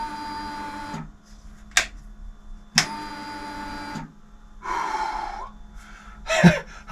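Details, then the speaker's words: High-mileage BMW R1150GS, first start attempt: two short, steady electric whirs of about a second each at ignition-on, then quiet; normal fuel pump priming. "right ignition on fuel pump going let's do that a couple of [Music]"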